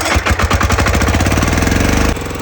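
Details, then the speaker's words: Mazowema diesel power tiller: loud, rapid harsh clattering grind over the diesel beat, easing slightly near the end; broken gearbox gear teeth, shut it down immediately to avoid further damage; multi-plate clutch engine. "दोस्तों अगर ऐसी आवाज आ जाए, ऐसी करकुर cutter आ जाए तो उसको बंद कर दें एकदम से, कुछ ज्यादा नुकसान भी हो सकता है मशीन के साथ, कभी ऐसा ना होने।"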